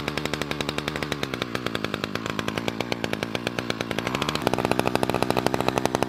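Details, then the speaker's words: Budget petrol two-stroke strimmer/hedge trimmer, about 4 years old, after replacing split fuel line pulling air and priming; crisp even firing picking up smoothly when revved, no misses, running properly. "we got there in the end seems to be money running all right now"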